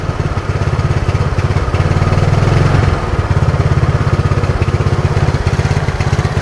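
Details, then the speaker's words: Yamaha Mio Sporty carbureted scooter, after carburetor service, hot on a long test ride: steady low beat with uneven stumbling pulses at half throttle, then stalls; misfire traced to faulty non-original aftermarket CDI. "Oke sudah kelihatan sudah kedengeran Oke Mas Bro setelah karburator service dibenarkan dibenerin untuk bagian batu-batuk dan Langsa normal tapi saat dibawa kita coba tes drive keadaan jauh ataupun panas tiba-tiba motor brebet dan tiba-tiba mati sendiri"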